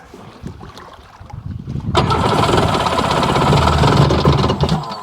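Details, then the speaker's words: 2001 Sea-Doo GTX RFI 787 Rotax two-stroke, in the lake on its second water test, runs on the hose but not in water: slow even cranking thump about four per second, then a louder rumble that never runs; worn rotary valve suspected. "Isn't that funny how it uh they don't like running in water, but they'll run on the hose all day long?"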